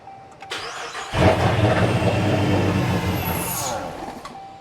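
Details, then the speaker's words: 2020 Dodge Charger Pursuit AWD with Hellcat-supercharged 5.7L V8 swap, first start attempts: starter cranks, engine catches briefly with uneven firing then dies; improves with repeated tries, crew suspects flooding; only throttle position and barometric pressure codes stored. "So why would it start to get a little bit better and better the more you tried it? Yeah, if it's flooded, working all the gas through, it'll be..."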